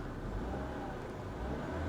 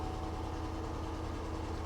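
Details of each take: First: 2008 Cadillac DTS with vandalized body: smooth engine note holds steady then builds a little with throttle, no knocking or rattles; engine sounds healthy, normal revving. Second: 2008 Cadillac DTS, 100,000 miles, check engine light on, oil change due, just after start: steady low drone with slightly uneven pulse about 2.5 beats a second; not the best sounding engine, rough running.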